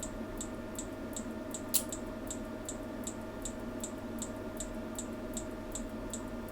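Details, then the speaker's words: Atomic AT-5000.1D subwoofer amplifier under repair, cold, rail voltage at 50 V with no rail short: power supply ticks steadily about 2.5 per second over faint hum, trying to switch but never starting; owner suspects supply lacks power for full duty cycle. "We're currently at 50 volts on the rail voltage, so let's get some more power supply going. You can hear it trying to come on, it's trying to switch."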